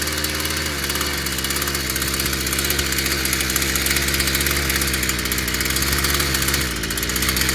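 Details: Stihl FS55 brushcutter, good-quality plug fitted, new exhaust fitted; idles steadily with high buzzy crackle and slight unevenness; running fine again, though carburettor, gaskets and intake still need review and adjustment.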